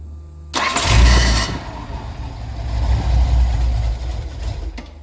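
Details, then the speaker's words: 1981 Datsun 280ZX parked nine years, new battery, fresh fuel: cranks, catches and runs rough at low idle only while key is held in start; fuel pump runs in start but not on position, owner suspects faulty ignition switch/cylinder. "why is the fuel pump only run when it's in the start position not the on position yeah yeah it's weird that the it's weird that it's not running the fuel pump in the on position"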